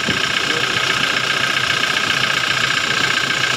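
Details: Toyota Hilux Revo / Innova Reborn diesel after power steering pump replacement: even diesel clatter at steady idle with no whine rising over it; new pump quiet, no leaks, unlike the old pump that whined at full lock.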